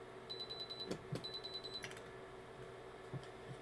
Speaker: so in this case when we take the needle point and we turn around and touch the stone you hear it it goes all it's beeping which turns around tells me that this is a real